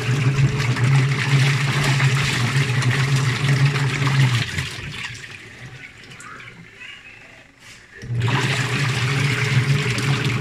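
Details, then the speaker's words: Sharp twin-tub washing machine after repair of continuous drain leak and electric shock (rusted motor, water had dripped on it): steady low motor hum with rushing water, briefly dropping out then resuming; no leak, no shock; normal draining. "Wala na siyang leak tapos hindi na tumatapon yung tubig sa drain tap Wala ng kuryente yung tubig mo kaya solve na yung"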